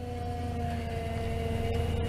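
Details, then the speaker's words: 2004 Toyota Tundra, 215k miles, at idle: steady moaning whine holding at one pitch from the worn, leaking power steering pump; no power steering, and purging the fluid didn't help; before pump replacement. "that's all she's got she has definitely got no power steering i already tried purging the fluid running that through see if that made any improvement it did not if anything it got worse"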